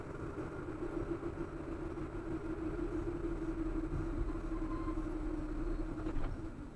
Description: Humming noise generated my MRF ZLO performance tyres 195/60-R15 at low speeds.